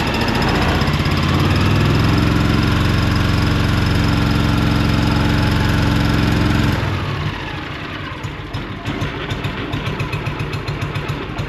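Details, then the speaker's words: John Deere Gator 6X4 auction buy sitting since 2014, fuel reaching carb, oil checked: small engine ticks over at an even, steady idle with no misses or knocks, then shuts down cleanly; good engine, owner wants oil changed before running more. "that's a good little engine all right I'm not going to run it anymore because I really want to change the oil before I do anything"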